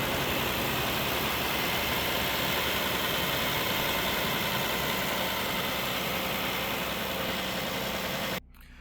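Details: Failing 223,000-mile engine near seizure, with oil-coolant buildup inside, on a rough idle with a rattly knock three to four times a second; suspected rod knock, possibly a lifter, cause unconfirmed.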